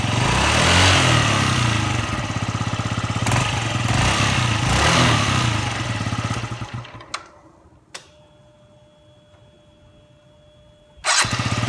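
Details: Yamaha Jog ZR scooter (SA36J/SA39J), about 9,000 km accident bike, after repair of an abnormal engine noise: single cylinder revs cleanly, drops back smoothly, then shuts off with no knocking or rattle, a healthy engine.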